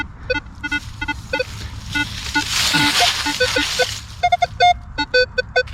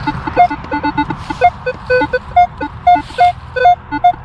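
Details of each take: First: Minelab Equinox 800 metal detector on an early 1800s farm: crisp, repeated high beeps as coil sweeps spot, clean target signal, a second Indian head penny in the same hole. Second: Metal detector on an early-1800s farm near the house and the road: irregular chattering beeps jumping between several pitches with no target pattern. Metal detector interference chatter.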